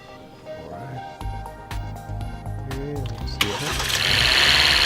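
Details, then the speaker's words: Engine jump-started with a portable 400A peak, 12000mAh jump starter pack after connecting positive then negative: short cranking, then the engine catches and picks up revs straight away, a clean quick start over background music. "we are I didn't even have to crank it long it just turned right over, that's really impressive"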